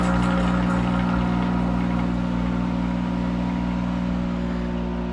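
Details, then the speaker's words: Monarch 10EE lathe, thyratron spindle drive warmed up after a month idle, running in reverse at 200 RPM, not in back gear; hand load applied and released slowly as if cutting, motor hum and drive whine hold pitch, speed hardly changes, jumping slightly on release: normal speed regulation. "I'm going to start grabbing it like it's cutting under load see that when I let go it'll jump a little but if I put a load on it slowly it let go of it slowly"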